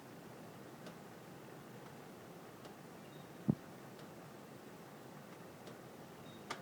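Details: Quiet room with isolated sharp pops and light ticks from heating ductwork, one much louder; the gap between louder pops lengthens by about 1–2 seconds each time; owner doubts simple duct expansion, and the cause is unknown.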